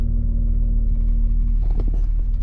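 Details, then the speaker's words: 1991 Jeep Cherokee Briarwood after alternator replacement, following a short test drive: a smooth low rumble and steady hum with no knocks or squeals. The voltage gauge reads mid-range; the engine sounds healthy. "well i just took a minor test drive and everything seems to be just fine"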